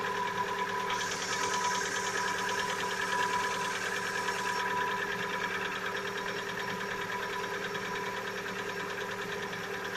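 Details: Lada Vesta, 70,000 km, cold-start idle: a steady, rapid ticking knock of about three beats a second for one to two minutes, then it quiets. Owner says piston knock, not hydraulic lifters; appeared recently, cause unclear.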